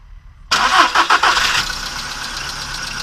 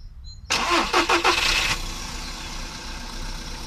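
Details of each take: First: VW Polo Sedan on Lukoil Genesis Armortech 5W-40, about 5,000 km on the oil, cold start after two days parked, phone near engine with hood closed; brief clattery ticking in the first second then steady idle; owner suspects hydraulic lifters or noisy idler rollers. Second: VW Polo Sedan on Lukoil Genesis Armortech 5W-40, phone held close, hood closed. Short crank and catch, then a settled quiet idle with no more tapping from the top end. Normal idle; lifters sound healthy.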